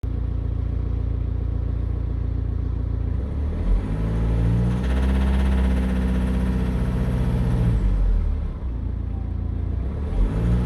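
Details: 2013 BMW X3 N47 diesel, dead cold after sitting overnight, in gear with foot on brake to load it lightly: rough uneven knock and slight miss on one cylinder, attributed to a failing, soot-clogged or sticking injector; gone at full temperature.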